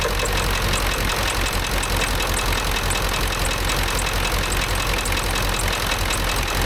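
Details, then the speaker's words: Ford F350 dually 7.3 Powerstroke diesel after replacing a bent pushrod, second from the back, valves now opening properly: loud idle clatter with irregular heavier knock now and then; runs much better but occasional knock, cause unknown. "Something in that motor don't sound very good though. No idea what that knocking is occasionally."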